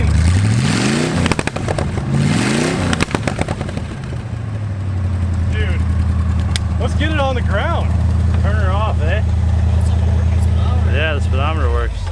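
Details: Plymouth Satellite V8 revived after 35 years abandoned, idling before its first drive. A couple of throttle blips, then a deep, steady idle without knocks or misfires; the engine sounds solid.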